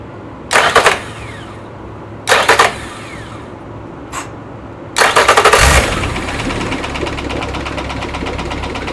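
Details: Nearly new Yamaha F70A outboard that began knocking after reverse was engaged at full speed, run without its gearcase with an oil pressure gauge: several cranks, then it runs with fast irregular tapping under the idle, cause unclear.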